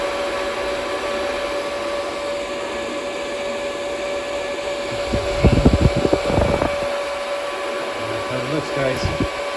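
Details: DB Werx amplifier fan on DROK adjustable buck regulator, voltage turned up above the 8.21 V cutoff: steady mid-pitched whir with a brief handling bump midway; fan running normally.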